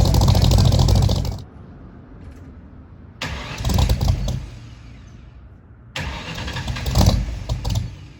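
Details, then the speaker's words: 1964 Mercury Comet at first start after new heads, cam, intake and headers: catches in three short bursts, running lumpy and dying back each time. Owner suspects fouled plugs from wrong springs dumping too much fuel at idle; some smoke seen. "for the first time and it didn't go perfectly didn't go terribly it didn't go perfectly I think there was a couple things going on uh that contributed to that and basically where it's at right now is I'm pretty sure the plugs are fouled"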